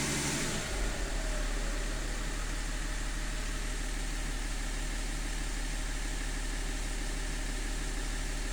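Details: E39 engine at steady idle with a deep, slightly uneven pulse about three times a second and a faint shake; it runs rough at idle, cause not stated.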